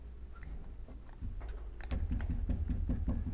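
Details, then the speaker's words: Volvo XC90 front anti-roll bar: quick run of dull metallic knocks as the bar is rocked by hand in a worn bushing, knocking loudly into the cabin. It also squeaks in rain; bushings aren't sold separately, so the whole bar needs replacing. "Вот долбит как. В салоне отдается пипец как."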